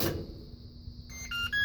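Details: Washing machine after the jammed drain pump was replaced: a quiet room, then a short run of clear electronic beeps at changing pitches. This cycle-complete signal had not worked in a long time and now does; normal end-of-cycle beep.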